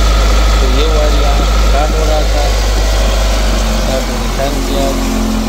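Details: Nissan Altima (2012–2013) that had cut out on the road and would crank but not start, after tracing a short and replacing a blown fuse: steady, even low idle rumble with no misses or knocks, under background music; normal running.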